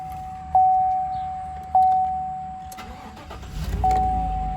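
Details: 2014 GMC Sierra with a no-start and blank-dash fault; ground G218 was found loose and oxidized. After reconnecting, two warning chimes sound, then a short crank, and the engine catches and settles. Normal crank and start.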